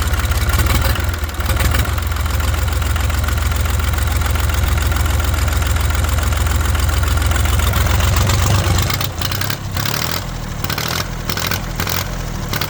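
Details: International 284/285 4x4 diesel tractor, long-sitting, first run before fluid change, white and black smoke from ATF: deep steady diesel chug at low idle, even firing, no knock or miss; normal running.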